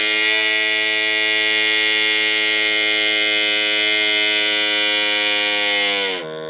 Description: Strange noise coming from 6.7